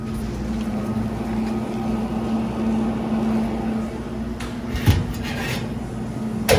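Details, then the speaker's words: Commercial prep table or reach-in refrigeration unit, gauges on and reading well on charge: a steady droning hum with a rough edge in the cabinet from one noisy evaporator fan motor that needs replacing. "one fan in here we need to replace can you hear all right we that got our gauge on there we know we got one noisy bat fan motor in here"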